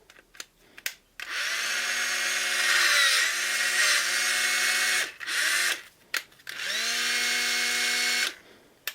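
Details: Black & Decker BD405R cordless drill from about 1985, unused for 20–30 years and seemingly seized, after disassembly and reassembly: short runs of a clean, steady motor whine that spools up and down smoothly with no grinding or rattle. Running healthy.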